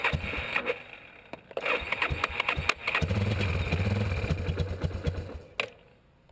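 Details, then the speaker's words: 1987 Yamaha Warrior 350 ATV with intermittent click-no-crank: sharp taps on the starter while pressing start, then it cranks, fires and idles briefly; starter has a dead spot, possibly brushes not contacting the armature. "you see what happened the starter's got a dead spot in it somewhere the brushes ain't making contact somewhere on the armature or something"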